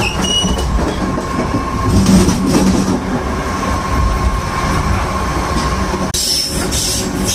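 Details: BART Yellow Line car 3087 braking: faint high squeal tones over steady rumble and wheel clatter; brake squeal, cause unclear.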